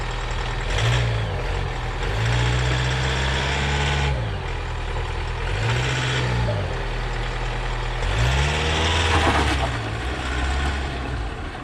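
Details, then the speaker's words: High-mileage Toyota Verso diesel idling and blipped, heard outside: a loose, uneven clattering rattle under the engine note that disappears when the clutch is pressed, a worn dual mass flywheel. "it's probably more obvious if i get into the car flywheel rattle that disappears whenever i put the clutch in"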